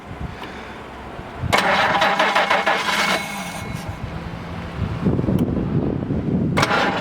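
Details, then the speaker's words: 1967 Jaguar 420 saloon with rebuilt 4.2 L straight-six and stainless mufflers: brief starter whir, catches at once and settles into a smooth, even purring idle; a healthy start. "sounds great just purrs huh"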